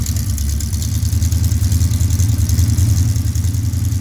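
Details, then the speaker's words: Cold Pontiac 428 V8 with three two-barrel carbs and Comp Cams hydraulic roller cam, choke closed: steady lumpy burble on the carburetor fast idle cam, no knocks or misses; normal cold fast idle. "Right now it's up on the fast idle cam on the carburetor,"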